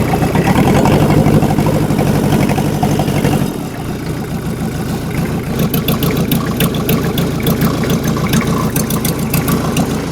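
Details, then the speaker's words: Rebuilt Yanmar 4TNE98 diesel (Caterpillar 216 skidsteer engine swap), first test run with injection pump newly set up: uneven, lumpy hunting and misfiring that drops off; owner suspects fuel starvation, low fuel in can, lines not drawing fuel, runs better when moved. "I think the uh the fuel lines this isn't very full and I think it's not sucking fuel because I kind of moved it around and it was running better"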